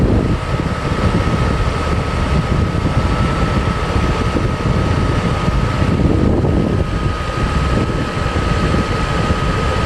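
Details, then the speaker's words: Mercedes W140 S600 coupe V12 after new belts, pulleys, engine mounts and mass airflow work (oil leaks remain): smooth, even low rumble with a faint steady tone and no squeal or chirp; clean normal idle. "Other than that, the engine is very nice. I have no problems with that."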